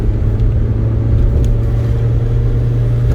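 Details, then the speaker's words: 416 GTi after the exhaust was welded and patched again: deep, even rumble with no blowing, ticking or puffing; the exhaust sounds sealed, much better, though unlikely to last long after four or five welds. "much better yeah"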